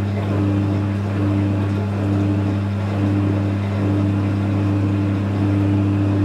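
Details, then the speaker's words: Electrolux EWF 16589 W washing machine on 60 cotton spin, heavily used: heavy steady low rumble with a tone cutting in and out about once a second; owner suspects dead bearings and a faulty pump. "Sounds like it's spinning, or is it really? Sounds really weird."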